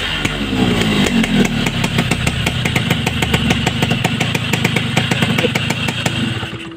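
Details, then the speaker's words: Yamaha RX King two-stroke, revving: crisp, regular crackle revving up and settling back with no pinging or knocking; engine runs smooth. "nah ini suaranya halus walaupun digeber itu harus ya"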